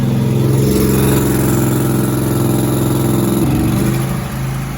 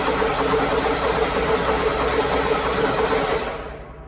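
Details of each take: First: Zero-turn mower, Grasshopper or Toro, sitting about four months with stale carb fuel, started with external fuel sprayed into the intake: catches and settles into smooth, even running with good idle, no misses or surging. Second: Toro zero-turn mower that had probably been sitting about four months, choke out, battery good, fuel solenoid working: starter spins steadily about three turns a second but never catches; crank no start, likely stale fuel in carburetor.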